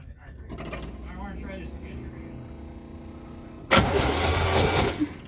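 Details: 1972 Chevy C10 with a 350 V8, sat in a barn 30 years, cold at 29°F, on a makeshift double-ground hookup: starter turns it over about 1.5 seconds with no firing; no spark, from worn points and condenser.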